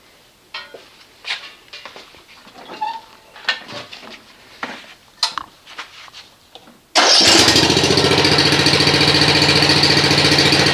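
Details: Snapper RER rear-engine mower after fixing a no-start caused by a cable arm grounding the coil, with new control plate and air filter, test start: some clatter at first, then it catches instantly at seven seconds and runs steady with no misses. Normal start.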